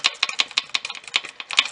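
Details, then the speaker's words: Motorcycle engine-area noise over potholes traced to a loose bolt in its mounting bracket; sharp metallic clacks, about six a second, as the bracket is rocked by hand showing play. Simple fix: tighten the bolt with a wrench. "o que que eu descobri aqui veja vocês mesmo olha aqui ó entra esse parafuso e suporte aqui ó tá vendo tá vendo o jogo aí então o barulho tava aqui conforme passar no buraco"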